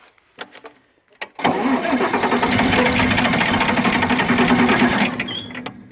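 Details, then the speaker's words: John Deere 4010 diesel cranking with throttle wide open, battery weakening, good fuel pressure confirmed: long steady cranking about three beats a second, brief attempt to catch, won't start; owner suspects a clogged screen inside the pump. "I got the throttle, you know, cracked wide open. Trying to get this thing to start. I've adjusted it, moved it. You can hear it's trying to hit."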